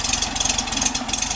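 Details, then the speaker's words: 1967 VW Beetle air-cooled flat-four with rebuilt distributor and correct new spark plugs, own carburetor away for rebuild, warming up after about a minute of running; quick even chuffing beat, no misses, normal idle. "kit it's been running for about a minute it seems to be picking them up and putting them down really nice"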